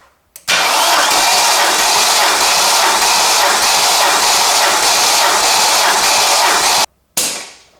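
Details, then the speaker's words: Neglected BMW E39 540i V8 cranking with spark plugs out after clearing debris from a cylinder; fast, even whirring crank with no scraping for about six seconds. Engine turns freely and sounds healthy. "Every mechanic will confirm that this engine sounds healthy."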